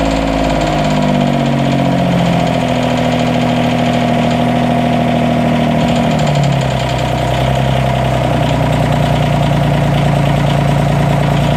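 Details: 332 diesel at idle: uneven idle with an intermittent misfire and loud sharp clicking over the clatter. The owner suspects a head gasket leak among other issues, but the cause is unconfirmed.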